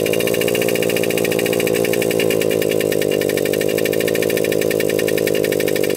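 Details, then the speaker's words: Suzuki Jr 50 two-stroke single-gear minibike, bought complete with good compression, before big-bore kit: revs at a steady buzzing pace but sounds flat and burbly, never clearing crisply; running boggy, owner thinks it just needs a carb clean. "the bike does wrong it's a little bit boggy though so I'm trying to figure out why that would be I think it just needs a carb clean"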